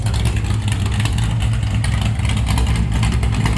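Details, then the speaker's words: Stock 440 Mopar big block from a camper, in a Chevy K10, with the biggest cam that fits, at about 700 rpm idle: loud big-block rumble with uneven stumbles and pops breaking the rhythm. Misfiring a little, suspected from plug wires with bad spots; new wires planned. "I wish it wasn't misfiring because it probably sounds so much better. That's about 700 RPM right there at idle. It is misfiring a little bit."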